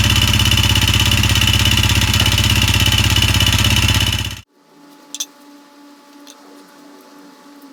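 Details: Honda CRF250L (engine shared with Rebel 250/CB250R), 3,851 km, idling: quick steady top-end tapping about three per second; noise grew since new, now stalls; top-end damage from abnormal combustion blamed on stale gasoline.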